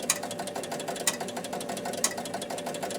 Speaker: the ticking. Okay. Score motor's turning constantly. So that's our clues of what must be the problem.